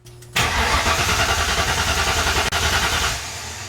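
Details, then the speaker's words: Ford Mustang during fuel pump wiring work, after unplugging an unidentified connector: starter spins the engine at steady even rhythm about three seconds without firing; cranks, no start, suspected from the unplugged connector. "so we're definitely not starting now so obviously maybe there was a more important plug that I need to keep plugged in"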